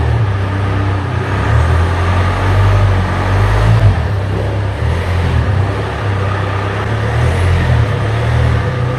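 Steady, even low rumble at idle with no rattle or buzz over it; the exhaust sounds quiet and healthy.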